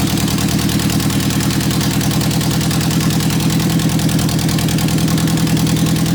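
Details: 1991 Eagle Talon TSI AWD, first startup after sitting months and a new fuel pump fitted: loud, even engine pulse at steady idle with no misses or knocks; normal idle.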